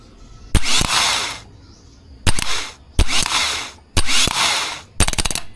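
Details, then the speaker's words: Mitsubishi L200 Strada 4D56 diesel, starter after DIY repair, jumped via solenoid wire: short bursts of quick even whir, each with sharp snap; starter engages instantly and sounds healthy, previously repeated clicking. "kita niyo naman na snappy na siya pagka dikit natin ano agad yung starter"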